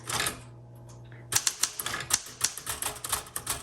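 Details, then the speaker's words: 1967 Smith Corona Classic 12 typewriter typing past the margin: crisp typebar strikes at a steady pace, the margin bell rings and the carriage stops until margin release is pressed; normal margin bell and carriage stop. "there's my margin saying okay so right now what i should do is hit the return handle and go to the next line but i'm going to keep going to show you what happens when you do"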